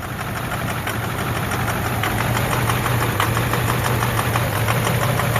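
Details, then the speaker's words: 2009 Ford F250 6.4 Powerstroke diesel, cold idle in gear: uneven stumbling beat with one cylinder dropping out and fuel-smelling smoke; misfire traced to failing #7 injector, #3 also suspect. "Ugh. Yeah, see, it ain't right."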